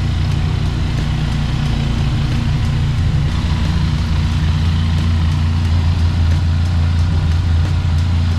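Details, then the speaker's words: Benelli TRK502X, 500cc four-stroke liquid-cooled twin, cold start before oil change, warming oil: steady even low burble at fast cold idle, no knocks or ticks; healthy. "By the way, cold start siya. So ito yung tunog niya."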